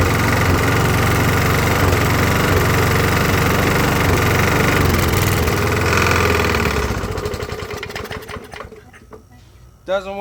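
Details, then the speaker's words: Roughly 20–25-year-old Briggs and Stratton push mower after carb clean, new carb gaskets and new head gasket: low labouring chug, still missing, won't come fully up to idle speed/RPM, sags and dies; improved but still lacks power. "Well, I can still hear it missing. Uh, it is a 20 25 year old push mower. I don't feel that it's coming fully up to RPMs."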